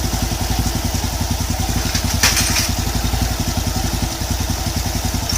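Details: Honda Wave 110 single-cylinder after an overhaul with new con-rod bearing and crankshaft and a rebored block: even, steady idle with a regular pulse and no knocking or clatter; the earlier noise is gone.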